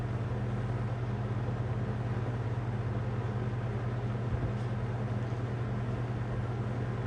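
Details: Toastmaster 20-inch box fan, faux wood cabinet, banana-style blades, running on medium: steady low hum and even airy whoosh, no knocking or scraping, with the model's usual grill rattle; normal running.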